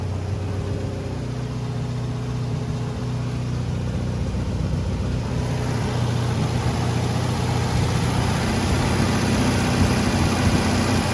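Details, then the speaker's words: MGB under restoration, carburetors just refitted with new seals: even, steady low idle with a smooth regular beat, no stumbling or hunting, no exhaust smoke. Healthy normal idle, with a big difference from before. "Not jumping around. Looks like we got everything running good, pairing like a kitten. Sounds good. Idling perfect. No smoke coming out of the exhaust."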